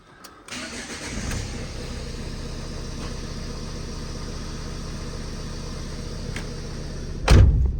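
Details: Newly acquired project vehicle with weak battery started on a boost pack: brief crank, catches quickly and settles into a steady even diesel idle with no misfire or stumble; running a lot better.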